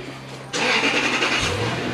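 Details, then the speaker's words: 2004 Toyota Land Cruiser after replacing the rusted-through 18-year-old exhaust and muffler: quick crank, catches and settles into a soft even quiet idle with no puffing or ticking leak; exhaust sound. "Yeah, how about that? Electric vehicle. How about that? That's pretty effing quiet."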